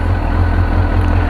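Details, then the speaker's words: 2002 Suzuki GSXR 1000 warming up after first start following yearly maintenance (tank rinsed, pump cleaned, new air filter and plugs); fired right up: steady, even low thrum at idle with no knocks or misses; healthy. "let me probably take her for a little quick spin here in a little while see how things go fired right up"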